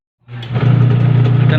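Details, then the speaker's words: Washing machine that had a loud hum, test-run after the gearbox was replaced with a new one: the motor starts into a steady, smooth low hum with no grinding or clunking. No longer noisy; normal agitation. "natin tine-testing na natin yung kinabit natin na gearbox ayan kung okay naman siya at Ah hindi na siya maingay"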